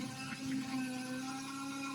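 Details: GM 3100 V6, running just after power steering pump install with return line unhooked for bleeding and fluid added: steady mid-pitched whine while the wheel is turned, likely the new pump still moving air/bubbles; cause not confirmed.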